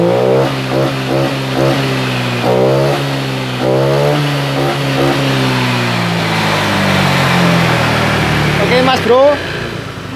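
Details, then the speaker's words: Honda Vario 125 LED scooter with weak fuel pump, after fitting resistor on EOT sensor socket: engine blips up and settles repeatedly, pitch climbing cleanly without stumbling; crisp, more responsive throttle. "Ini sensor eot saya kasih resistor seperti ini Sehingga tarikan lebih responsif beda dari yang tadi"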